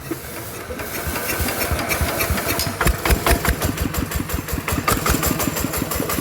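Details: Single-cylinder ET 110 diesel engine after repair, previously knocking loudly with white smoke (suspected connecting rod bearing or crankshaft): even thump, two or three beats a second, no metallic knock. Normal running.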